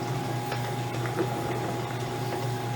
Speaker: As you can probably hear, she's a very quiet running shaper. No problem. That motor down below is ancient, but it works just fine.